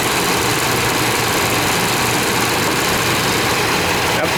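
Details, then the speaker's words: 1998 Chevy Vortec truck started after about 12-15 years sitting, following a Passlock reset and oil in cylinders, nearly out of fuel, a little exhaust smoke: slightly uneven, loping idle rumble under a hiss; runs a little rough. "Just about out of fuel. But she's running. I'm going tell you how we did it. Have to show you how we did it. It's a little rough, but it's running."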